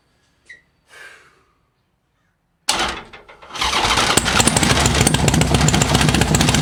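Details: Rubber-mount Sportster chopper with 1250 build, next-morning first start after priming, fresh top end starting break-in: near silence, then starter catches and the V-twin settles into a steady lumpy beat without clatter; clean first fire-up, run about 10 seconds.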